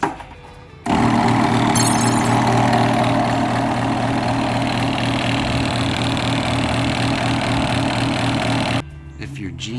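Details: Genie screw drive garage door opener: motor hums loudly with a rough, rapid grinding chatter while the door doesn't move and the screw isn't turning; stripped coupler linking the rail to the power head.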